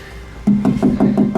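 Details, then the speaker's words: 1956 chop-top VW Beetle body panel with no sound padding behind it (later models foam-filled) tapped: sharp taps about six a second, each leaving a hollow metallic ring that hangs on, an undamped panel. "Here the ring. This typically is filled up with foam in later models."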